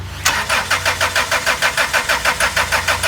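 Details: 2004 Chrysler Sebring 2.0 with a recently fitted computer and new cam and crank sensors: even starter cranking at about three pulses a second that never fires. The scanner shows no crank sensor signal or 5-volt reference; sensors are being unplugged, starting with the cam sensor.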